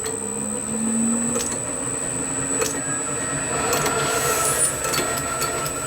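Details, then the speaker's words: Lathe motor and belt drive running a small brass workpiece for an oscillating engine cylinder, held with shim protection; steady even hum, light belt whir, faint high tone, little vibration, no knocking: running true, normal. "and there's not a lot of vibration there so it's running nice and true i reckon"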